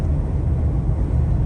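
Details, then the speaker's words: New 2023 Ford Explorer with 2,900 miles at highway speed, up to 80–90 mph, after washers and nuts were added to M6 bolts underneath: a steady low road rumble, with no passenger-side wind or rattle noise. "am not hearing it anymore you can hear it over here on the passenger side and I am not hearing it anymore"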